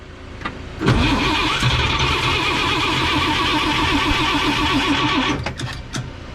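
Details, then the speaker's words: 1954 Chevrolet 3100 pickup, rebuilt engine then stored ~15–17 years in a chicken coop; fuel in carburettor, choke shut, humid day: starter churns steadily about four seconds with brief catches that never take; cranks but won't start. "Struggling, guys. It wants to so bad."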